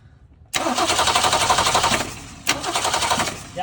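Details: 1966 Ford Mustang 200 straight six that stalled and died, cranked with fuel line off after the filter to check flow: starter churns steadily with no firing; crank no start, gas reaching the filter, carburetor bowl next suspect.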